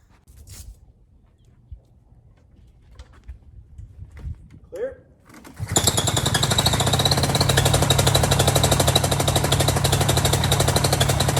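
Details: Small engine just after a complete prop pulley assembly replacement, belt tension set at 17–18 lb: fires and settles into a fast, even buzzing run with no knocks or rattles. It sounds healthy.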